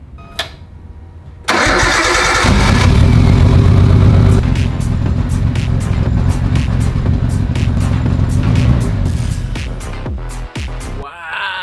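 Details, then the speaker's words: 1998 Nissan Skyline GTT, stock RB25 with Walbro 525 fuel pump, after replacing all smashed fuel lines with nylon braided E85-safe hoses; cranks briefly, catches at once and settles into strong even idle, easiest start yet, no fuel leaks. "It started up like nothing. That's the easiest it's ever started. There's no fuel leaks."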